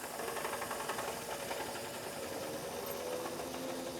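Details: R134a AC recover/evacuate/recharge machine, automatic type, entering charge mode through low side after air purge: quiet steady hum with light rapid chatter, no surging or knocking; machine operating normally.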